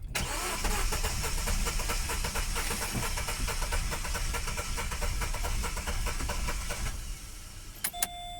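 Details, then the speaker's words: Car after repair work with head gasket ruled out and camshaft suspected: starter churns at about three pulses a second for seven seconds; cranks but never fires, worse than before. "I just finished with the car tried to start it and uh it's it's really bad I mean it's probably a bit worse than before let me show you let's start it or let's to try to start it"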